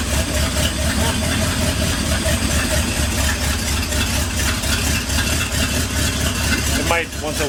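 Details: 1959 Ford F100 special delivery panel truck V8 at low, uneven idle after the idle was turned down from about 1,400 rpm with vacuum advance fully advanced; lumpy, unsteady beat that never settles. Owner suspects it needs a tune-up, plugs of unknown age; not confirmed.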